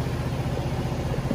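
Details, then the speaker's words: Vespa Sprint 3V (Tri/3V engine) automatic scooter, about 36,000 km, at idle: an even, steady low single-cylinder putter with a slightly coarse beat and vibration from the 3V engine and CVT. This is normal for this engine, not a fault. "triv getar agak bunyi kasar ya itu normalnya Vespa bukan karena memang dia rusak atau gimana memang bawaan dari lahirnya udah kayak gitu kalau mesin Tri"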